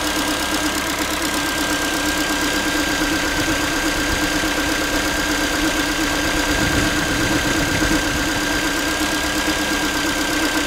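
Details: Ford Focus 3 1.6 (125 hp), manual, after cold start: a light, tinny, pot-like knock ticks about three times a second over cold idle; metallic knock, source unknown, owner asking what it is.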